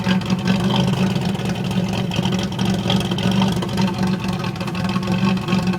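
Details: 1991 Pontiac Firebird V6 still setting codes 33 and 43: uneven, lumpy idle with the beat wandering and occasionally missing; rough idle, cause not yet found.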